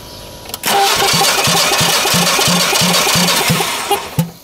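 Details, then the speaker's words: Generac generator engine, cranking compression test with loose spark plug, plugs out: steady, slightly uneven rhythm; one cylinder reads only about 100, a big difference. Low compression from a broken pushrod with piston damage, after another company condemned the motor. "yep you're only hitting 100 so that's quite a bit of i'm gonna difference"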